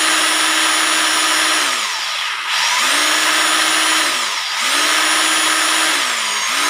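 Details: Rotary hammer drill after home repair (broken bearings) test run; clean motor whine spinning up and dropping back every couple of seconds, even and free of grinding: healthy normal running.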